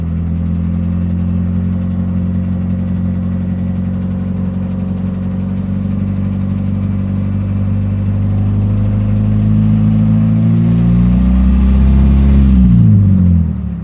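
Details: PT Cruiser with 225k miles at idle: dull, even knock about four times a second that shifts as revs change; owner suspects piston slap, cause unconfirmed.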